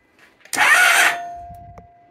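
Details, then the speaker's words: 1997 Honda ST1100 Pan European, long neglected, cranked on a jump pack with the plugs out. Brief strong whir as the starter spins the engine freely, then winds down; starter works and there is spark. "well the start motor works huh look at that we do have spark"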